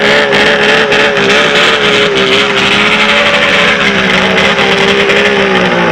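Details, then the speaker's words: Polaris 800 Storm triple two-stroke snowmobile, freshly jetted and clutched: loud, crisp, even howl at steady pitch with smooth firing; running clean and healthy. "what's up my triple loving youtube friends god is that awesome to listen to three fingers she sounds pretty freaking crazy"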